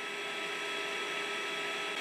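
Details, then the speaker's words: Creality Space Pi filament dry box running with the door open. A steady, even whoosh of air with a light fan hum and no rattle; strong, hot airflow from the duct with intake suction at the back, working normally. "there is an impressive amount of heat in a very strong air flow coming from that duct right there"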